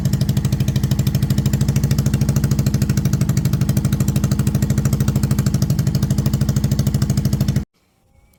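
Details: 2002 Yamaha V-Star XVS650 V-twin after carburetor sealing: loud, regular thump about three beats a second, even and steady until shut off. Runs normally.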